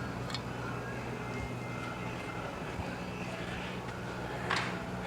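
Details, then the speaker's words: 1972 VW Bus air-cooled engine after new 38mm carburetor upgrade, crankcase had been full of fuel, idling before valve lash check: steady even idle with a faint light tick on top, not excessive; running normally. "it sounds good it sounds like it may have a little tick to it but it's not it's not excessive to the point where it's not say Volkswagen"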